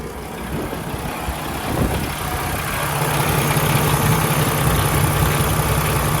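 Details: 2016 Peterbilt 579, Paccar MX13 diesel, Eaton automatic: deep, steady idle with even clatter, no misses or knocks, no unusual noises, no tailpipe smoke, no blow-by from oil filler cap; healthy idle.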